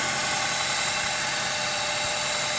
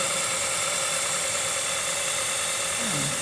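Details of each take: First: 2006 Honda Element power steering pump at idle and turning: steady loud hissing drone, no knocking; air drawn in past worn pump o-rings, noise eliminated by replacing o-rings. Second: 2006 Honda Element at idle after fixing power steering pump O-rings that let in air: smooth steady idle with even hiss, no groan or whine; power steering pump now quiet.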